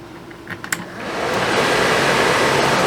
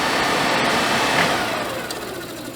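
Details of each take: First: Suburban RV propane furnace, removed from the RV and reassembled after a suspected bad fan motor, test-fired on the bench: a few ignition clicks then a smooth, steady blower rush with no rubbing or scraping, normal running. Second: Suburban RV propane furnace bench-run on 12 V out of the RV, new fan motor ordered for suspected bad motor; noise worst at shutdown: blower winds down with rough, scratchy edge, possibly a fan rubbing on something.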